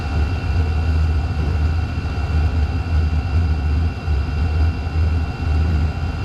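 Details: Chinese diesel heater (Vevor-type) restarting after fuel system bled of air: strong even low drone with a steady high fan whistle, the blower at full speed far too early in startup; smoke comes from the exhaust.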